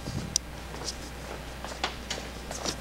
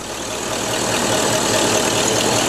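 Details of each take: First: Ford Mustang with the distributor deliberately installed probably about a tooth off and the damper turned: the starter spins the engine in two long, steady bursts but it never catches; crank, no start from wrong ignition timing. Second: Classic Ford Mustang just after distributor installation, which initially would not start until the distributor was advanced, with timing at top dead center: steady, even idle with smooth exhaust pulse and no knocks or misses.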